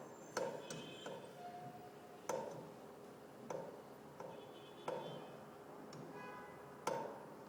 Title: Pipe Banging Noise